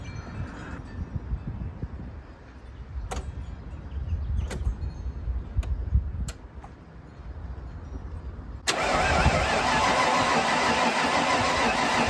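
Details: 1995 Ford Bronco parked for years, fuel pump burned out, fuel reaching the rail, pressure not yet tested: starter churns the engine at a steady, even rate for several seconds but it never fires or runs.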